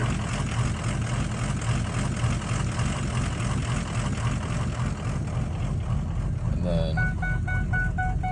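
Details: 2004 Ford F250 6.0 diesel, cold first thing in the morning. Idles low and uneven with slightly irregular, knocky beats and a chime near the end. Rough cold idle, cause unknown.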